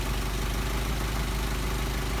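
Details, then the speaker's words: Engine running Solex 44PHH carburetors, at about 700–725 rpm idle during idle mixture screw adjustment: a steady, even low rumble with no hunting. The screw is set at the best idle rpm, and the idle is smooth. "i'm going to adjust the idle mixture screw and you'll see the idle the rpm change and we want to get our best idle speed that's what we're looking for"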